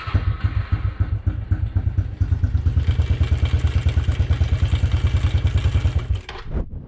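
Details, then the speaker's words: Honda CRF110 (2013–2018) single-cylinder at idle: loud, fast clattering rattle over the engine thump that fades at higher rpm, indicating a worn timing chain rather than rod knock. "really loud round right there you probably don't have rod knock or anything if it goes away with kind of higher rpm it's your timing chain"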